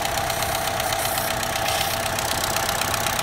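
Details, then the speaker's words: Small turbo four idling: steady high hiss over quick even pulse; air leaking at the valve cover PCV vent valve. "as you can see we've got some leakage right here we're gonna have to pull this dipstick out this could be another problem to this Oh ring I guess sometimes likes to leak air"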